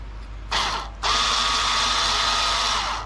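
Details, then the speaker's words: 2021 Chevy Blazer RS rear brake pad job: the electric parking brake caliper motor, powered by jumper leads with reversed polarity, hums steadily for about two seconds as it retracts the piston so it can be compressed. "what that's going to do it's going to reverse that uh piston back in and then you'll be able to compress it so if you take a listen you'll hear it retracting"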